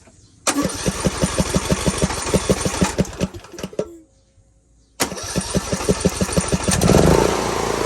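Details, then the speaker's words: Briggs & Stratton engine on an L108 mower, first start after fitting a new carburetor and changing fuel-flooded oil. It fires into an even beat, stops, restarts and settles without hunting, with residual sizzling suspected as old oil and gas: normal running. "well i'm almost positive that's old oil and uh gas i can hear it sizzling"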